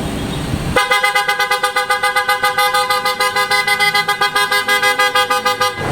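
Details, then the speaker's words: 2025 Mitsubishi Xpander Cross with an aftermarket PIA auto-style horn, plug and play, replacing the stock horn the owner found too weak. Loud steady horn tone held about five seconds with strong even pitch; the new horn sounds solid. "Ayun, solid mga bossing."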